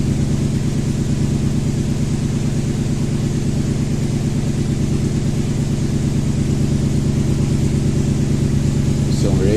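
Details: Toyota Tundra (stated as 2012 and 2000), 282,000 km, sat about a year, misfires counting on cylinder 3, idling: low V8 idle with a regular lumpy pulse, about three beats a second; cylinder 3 misfire from a failed ignition coil.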